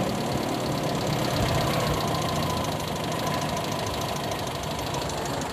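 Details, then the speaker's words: Toyota Kijang petrol engine converted to independent (per-cylinder) ignition: low idle with an uneven shaking beat about three pulses a second after the coil plug on cylinder one is pulled; the engine vibrates and runs rough on a missing cylinder. "cabut di nomor satu nah ini ada perbedaan suaranya nah ini getar kalau kita cabut"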